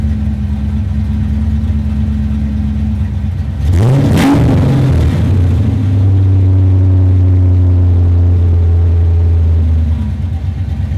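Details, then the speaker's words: Fox body Mustang started after an alternator replacement, battery reconnected, hoping it now charges: short rough burst as it catches, then an even idle with a slight rev and no knocks; normal start and idle. "all right I'm gonna put on the air filter reconnect the battery and start it up and hope that it's charging"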